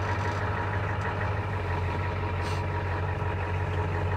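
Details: Diesel truck after the failing brake vacuum pump was repaired: steady, even low diesel rumble at idle with no knocks or misses. Normal idle.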